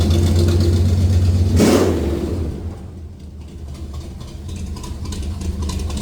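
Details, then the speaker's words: Small-block Chevy 305 V8 in van with stock 1.5 rockers, before fitting 1.6 exhaust rockers: smooth, even idle, one clean throttle blip that climbs and drops back, then a steady idle; normal idle and rev. "So, that's what we got right now. This sounds okay, but I'd like it to sound a little bit more radical."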